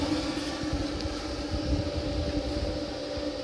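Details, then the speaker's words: Kenmore-branded Frigidaire electric dryer after fixing the blower fan, reassembled, high heat warming up: steady low hum, even drone and soft airflow rush, no scraping or rattle; normal running. "I am really not sure what it is about this fan that was causing that noise but it certainly was because it's not now"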